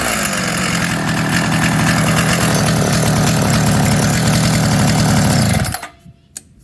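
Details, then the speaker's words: Craftsman Mini Tiller 536.797500 small two-stroke, after repair and tuning: loud buzzy run holding a steady, even speed for several seconds before switch-off; running properly. "so yeah oh it runs tuning time and tuned"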